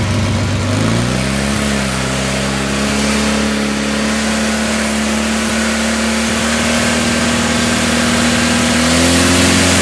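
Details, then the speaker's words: Craftsman GT6000 mower's Kohler V-twin after a fuel pump replacement and carb rebuild, with the governor not hooked up: it climbs to a high, steady screaming pitch and stays over speed, sizzling. "Wow. I probably should look into hooking up the governor before I blow a head gasket. Hear it sizzling."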